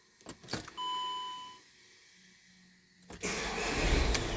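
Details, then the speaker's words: Volkswagen Crafter diesel with an intermittent long-crank problem, warm restart: clicks and chime, then a short crank, catching at once and settling into a steady run. Normal warm start. "we are going to say that 2 to 3 seconds is an average crank for this vehicle"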